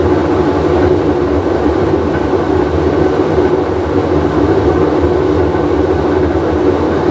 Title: Whirlpool Cabrio with bad bearing full wash cycle